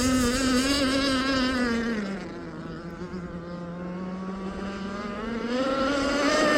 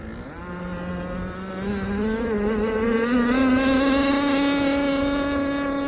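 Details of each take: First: Aeromarine Avenger 44 RC boat, Zenoah 29cc two-stroke with steel Gizmo pipe and ABC prop, running at high RPM in about 12 mph wind: note sags and stumbles briefly then recovers; intermittent sputter, cause unknown. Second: Aeromarine Avenger 44 RC boat, Zenoah 29cc gas two-stroke with steel Gizmo pipe and an untried ABC prop of about 66 mm: a crisp, even scream climbing smoothly onto the pipe at high RPM, healthy run.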